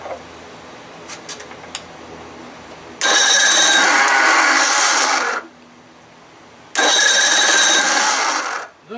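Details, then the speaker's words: 55 hp Evinrude outboard with newly installed replacement starter: two long, harsh, raspy high-pitched cranking bursts of about two seconds each, with no firing while fuel floods and pours out. The new starter sounds abnormal. "now i got to get in touch with this guy over the starter i'm not paying for a story that sounds like that"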